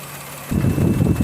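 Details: 2016 Maruti Suzuki Celerio VXI, customer complaint of misfire on both CNG and petrol: uneven stumbling idle skipping like one cylinder dropping out; cylinder 3 misfire, coil and plug already replaced, later traced to faulty ECM.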